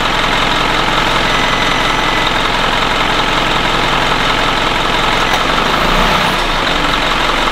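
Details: 2011 Isuzu NQR diesel truck with DEF faults, warmed up, during forced DPF regeneration via TEXA IDC5: steady unchanging idle, even rumble, no knocking or surging; normal idle.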